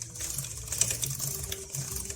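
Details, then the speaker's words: Motorcycle chain and sprockets, unevenly worn chain slack in spots and tight in others: irregular light clicks and snaps as the wheel turns; chain jumping on worn sprockets, fixed by replacing chain and sprockets. "ослабла проворачивать у нас натягивается при движении слышим щелчки"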